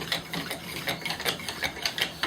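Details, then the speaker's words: Purpleheart friction drill (uber drill) after breaking through the glaze that caused squeaking: rhythmic raspy strokes about four per second, even scrape, no squeal, starting to smoke; good friction. "so now we have friction so let's see how we do we're not just starting to fill getting some smoke i have to be careful about too much abrasion friction i really want temperature friction"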